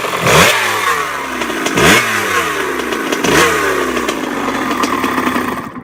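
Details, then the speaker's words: Dirt bike with new clutch basket, steels and friction plates, new rear sprocket: three sharp rev blips each trailing into a falling whine with some clatter as revs drop; cause unclear. "the bike's been making this weird noise and it's like I rev it and it'll like make a whining noise after word"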